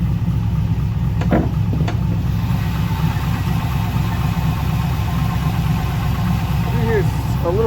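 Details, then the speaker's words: Chevrolet Camaro LS V8 after the damaged cylinder 2 rocker arm was replaced (needle bearings had shed metal into the oil): steady idle, no valvetrain tick, only a faint noise; repaired, normal idle. "a little bit of a noise really hard to tell what it is obviously nowhere near what it was before"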